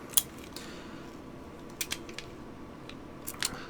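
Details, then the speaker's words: Smith & Wesson Airweight .38 Special revolver after reassembly, quiet room: paired clicks, a light tink of the cylinder locking then the hammer snap each time, showing solid lockup before the hammer falls. "You should hear the click of the lock before the hammer drops. I'm just not listening carefully enough. There. Popped into place."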